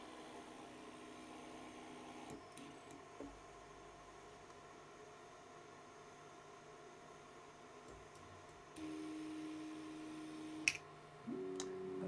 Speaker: can everyone else hear that or is it just me that X just makes a weird Buzzy sound but it sounds like it's coming from here and not over here